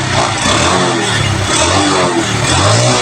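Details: Carbureted Honda Revo Absolute single-cylinder after its lost-ignition stalling fault was repaired: runs steadily with an even exhaust beat and light revving. Healthy, smooth running.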